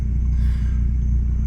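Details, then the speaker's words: Volvo V70R (P2, believed stage 1 tune and downpipe, what looks like 3-inch exhaust to Borla muffler) after alternator and tensioner replacement: low steady idle with no whine, squeal or chirp from belt or pulleys; normal quiet idle. "And that, my friends, is the sound of a quiet V70R."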